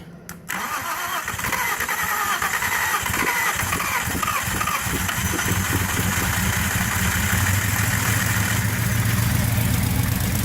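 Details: 1978 Scirocco with swapped 24v 2.8 VR6 and 5-speed, first start at partial throttle: cranks, catches, raw raspy run with puffing chuff; suspected exhaust leak, noisy muffler.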